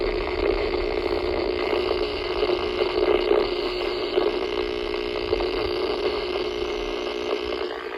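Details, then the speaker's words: Harsh, constant raspy buzz on a radio receiver, growing louder while approaching pole 95-3 (recorded 3/5/23); power line noise from a broken guy wire resting against a street light post. "Just gonna pan the phone over to the radio, and you'll hear the noise start to get louder as we get close to the pole."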